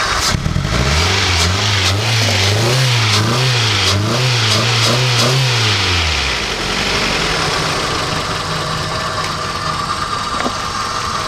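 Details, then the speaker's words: Honda CR-V auction car that had sat a long time, running after a fuel pump install with the intake off: revs smoothly, then idles with a faint unevenness; slight misfire at idle that goes away when revved, owner suspects gummed-up bad fuel. "she's running no she is puffing she's like I said she's misfiring a little bit but when you rev her up it goes away so I'm guessing it's just the bad fuel"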